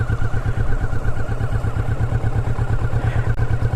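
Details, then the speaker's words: Motorcycle in first gear at about 5 mph, clutch let out slowly with no throttle: low, uneven, jerky thudding pulses as the engine lugs and stumbles, bogging from too little throttle until a small twist is given. "you can hear the bike beginning to bog down it's being a little jerky and doesn't sound too good it needs some throttle"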